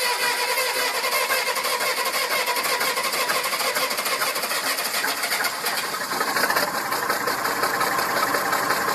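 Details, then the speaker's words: Massey Ferguson 2645 tractor diesel, owner claims rebuilt 100 hours ago, at idle: lumpy uneven exhaust pulses, some weaker; suspected valve not closing properly in cylinder head causing low compression, little blowby, poor power and starting. "I guess it's not properly closing valve, which also results in bad compression. Bad compression results in poor engine performance."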